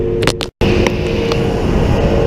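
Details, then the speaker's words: 2013 Ford F450 6.7L diesel during static DPF regeneration at about 2,500 rpm, parked: steady raised idle with hollow hot exhaust rush from sooted tailpipe; normal regen burn. "It is blowing. You hear the engine's revving. I get my hand close, but not that close. That is hot coming out of there. So right now it's burning."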